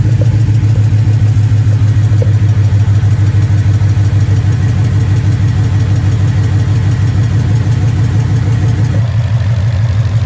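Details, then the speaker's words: 2012 Mustang GT 5.0 Coyote V8 with long-tube headers, before oil change and Marvel Mystery Oil: steady idle with light fast ticking about three per second over the rumble; known Coyote top-end tick. "Okay, so now that you can very clearly hear the Mustang tick, let's go ahead and put it in and see what the difference is. I mean, I think anything is better than that sound,"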